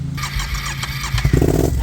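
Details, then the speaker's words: Twin-cylinder machine idling around 750 rpm with the old idle bypass (idle air control) valve, new spark plugs fitted without effect: rough, lumpy idle with weak uneven pulses, firing on one cylinder; fixed by replacing the idle bypass valve. "so you guys can hear hear that it's firing off one cylinder really weak"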